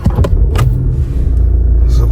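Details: 2019 Skoda Octavia 1.6 TDI, 85 kW diesel, about 264,000 km, known fifth-gear fault: a brief crank, then it catches quickly and settles into a low, even idle rumble with no knocks; normal diesel start and idle.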